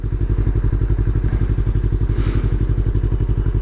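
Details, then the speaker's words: A Yamaha R3 with an Akrapovic slip-on exhaust idles at a red light during a test ride, giving deep, even, regular thumping with no misses or clatter. It sounds much beefier than stock: a normal idle. "Even at idle, like at a red light, it just sounds way beefier."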